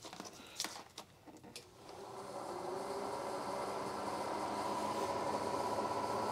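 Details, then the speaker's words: Chevy Tahoe after a clutch-fan-to-electric-fan conversion, first wiring test on low speed before PCM pinning and tune; a few clicks, then a steady whoosh as both fans spin up and pull air, so polarity is correct. Normal low-speed fan operation. "both fans are on both are pulling air so i didn't reverse the polarities"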